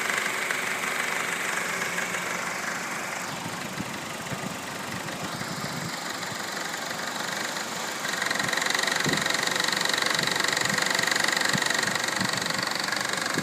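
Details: 2012 Honda Civic EX with 28,500 miles, still under warranty: a regular knock and rattle of about two to three per second at idle. The dealer replaced the tensioner belt and oil pump and now plans to replace the engine; cause not found.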